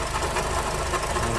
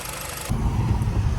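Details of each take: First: 2006-2011 Honda Civic Si (K20) idling before water pump replacement: rough churning growl with uneven rattle; the pump seems to be starting to leak coolant, pointing to a worn water pump bearing, to be replaced with a Gates pump. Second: 2006–2011 Honda Civic Si (K20) after water pump replacement and coolant bleeding, pulling away on a test drive: deep even engine and road rumble, no pump whine or grinding; belt possibly slightly tight.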